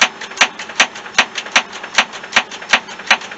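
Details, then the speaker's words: 1973-91 K5 Jimmy/Blazer rear window with new drive cable, gear sprayed with WD-40: sharp regular clicks two to three a second, no motor hum; window stuck, creeping up about a centimeter per click. Cause unconfirmed. "now she's stuck she's slowly going slowly each click is going up like a centimeter"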